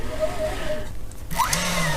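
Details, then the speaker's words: Xtool D1 10W laser engraver, x-axis belt drive and stepper motor, fault appeared after about 6 hours of use. Air assist on, microphone near the x-axis; a smooth, even motor whirr with no notchiness: smooth belt drive movement. "there's no notchiness it's what you can hear it's lovely and smooth"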